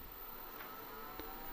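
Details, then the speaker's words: IBM 5155 power supply switching on and running normally with only test and internal hard drives as load (floppy and mainboard disconnected): quiet steady whir, faint tone, soft clicks; outputs measured 5.2 V, 12.1 V, −12 V. "the power supply kicks in and starts so I'm just gonna see here on the 80 connector to check for the voltages"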